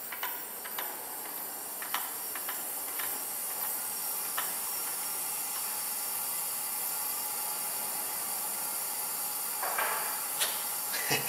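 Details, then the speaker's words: 2004 Honda Civic with compression 80/60/125/175, cylinder leak-down test: steady high hiss of escaping air with a few clicks, about 85% leakage. "we got about what 85% blowby don't if you guys can hear it we'll go like this we'll plug it with my finger for a little bit so that's where that compression is going"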